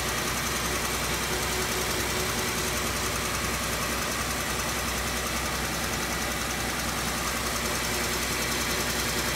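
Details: 2006 Pontiac Torrent/Chevy Equinox petrol engine, 120,000 km, 5W30 oil and OEM filter, fluids OK, idling with a light, fast, regular tick that speeds up with revs and persists when warm; cause unknown.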